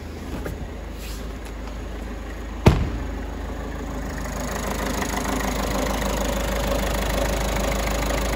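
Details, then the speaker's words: Peugeot 3008 1.5 diesel after repair for a ticking at idle: crank and catch, then a steady, even idle with no ticking or tapping; running normally. "sounds sweet running the finest there"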